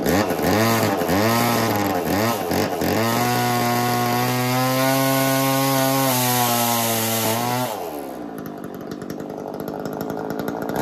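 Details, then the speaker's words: Echo CS-3000 chainsaw, long-neglected estate-sale saw, driving an 80s Versa Tools drill attachment: revs high and steady, pitch sags labouring against load, then drops away; clutch slipping and overheating, owner suspects smoked clutch. "I think we might have just smoked my clutch on my saw that would make sense why I wasn't happy spinning that maybe I should have stopped a little earlier"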